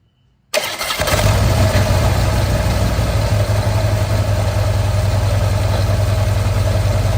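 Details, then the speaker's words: Harley-Davidson V-twin with a new but chattering clutch fires and idles roughly, with a steady whirring rumble identified as a worn clutch bearing after a side-by-side comparison. "yeah that's a bearing that is definitely cuz again you could definitely hear the difference once you did it side by side"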